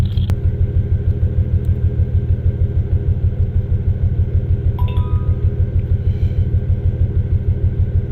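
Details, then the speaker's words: Toyota Tacoma X-Runner after a burnout, codes for cylinders 1 and 5, possibly on passenger-side bank, restarted after clearing codes: lumpy idle, loping thump about three times a second, uneven beat; dead cylinder 5, holed piston feared. "Cylinder 5. We got a dead hole. Hopefully there's not a hole in the piston."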